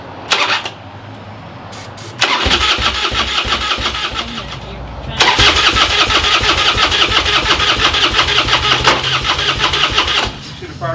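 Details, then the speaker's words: Harley custom bagger rebuilt after a fire: fast, uneven starter cranking bursts without catching. It sounds weak, like no pressure, and kicks back. The fuel pump is not working, so it won't run by itself. "sounds weak though don't it it didn't sound good at all no like that sounds like it's like no pressure at all"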